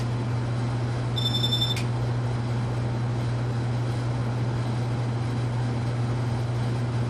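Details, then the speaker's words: Casablanca Panama ceiling fan after new bearings and flywheel, stepping up through speeds: smooth steady low hum, no bearing scraping or ticking as heard before, furnace noise in background; normal quiet fan running. "as you can tell before last time you'd already hear the barracks scraping by now no longer the case at this point its operating nice and quietly"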